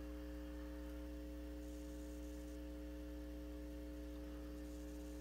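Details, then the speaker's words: Silverface Fender Bandmaster, believed 1972, with customer noise complaint, taken out of standby: low, steady buzzy 60 Hz mains hum that never changes, from faulty normal-channel input jacks. "and you're going to come up with about 60 hertz. So that's a 60 hertz hum."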